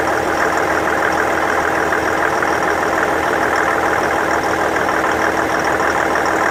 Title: Infiniti QX70 2015 Pinging Knocking Noise